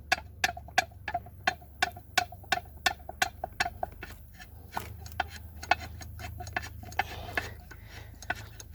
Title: Opel Astra J 1.7 CDTi DMF (dual mass flywheel) Failure